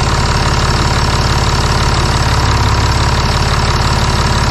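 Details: Stage 2 tuned turbodiesel with ECU and transmission control unit tuned, swirl flaps removed, catalyst deleted and exhaust opened up: steady, even diesel clatter with a deep rumble and no misses; normal idle. Engine mounts don't absorb the resonant vibration.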